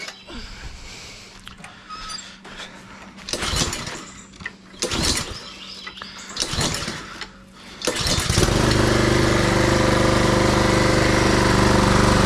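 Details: Husqvarna push mower with Honda GCV160 engine, after service (cleaned carb, new back plate and air filter, oil, plug), previously surging lean with choke open: rough pull-starts, then a steady even drone with no surging. Running normally.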